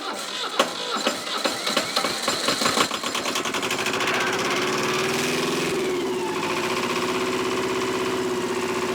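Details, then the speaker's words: Old Shibaura diesel tractor that sat for years, after cracking the top injector line open: cranking catches into an uneven, lumpy, smoky idle that stays rough and later dies; owner suspects bad fuel or a fuel delivery issue. "Look at that. Look at her go. All right. Thinking that smoke's going to clear up here pretty soon, hopefully."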